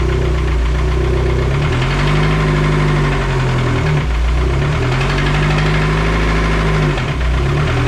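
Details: SRT-4 engine before teardown, revved to about 2000 rpm: running with a dull low knock under the rumble; bottom-end knock, engine to be pulled and rebuilt with a built long block.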